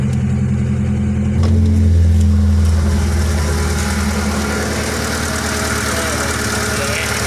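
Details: 1993–96 Lancer GLXi after replacing distributor cap and high-tension wires to fix hesitation and popping: engine starts, short rev, steady even idle, no popping or misfire; repair successful.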